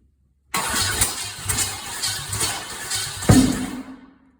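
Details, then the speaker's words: Chevy small block 350 V8 after sitting about 2 years: rough uneven firing, sharp pop, then dies; backfiring caused by plug wires in the wrong firing order. "Couldn't figure out why it was backfiring so bad. And so I just went back to the basics, you know, checked my timing, i.e. my plug wires."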